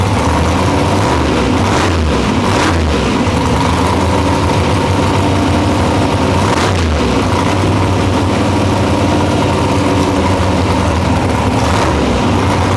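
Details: Nitrous Nova big-block V8 after replacing two pistons (one was found burnt): settles into a deep, steady idle with a slight lope and no knocks or ticks; healthy and even.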